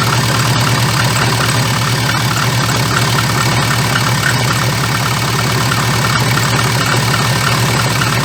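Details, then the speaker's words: VAZ 2114 engine, knock for three days, worst when dropping from 2000-3000 rpm: idle carries a loose rapid clatter about three knocks a second; crankshaft damper pulley found cracked with play, needs replacement. "и вот в момент когда сбрасываешь газ начинается эта вибрация вот это колбаса"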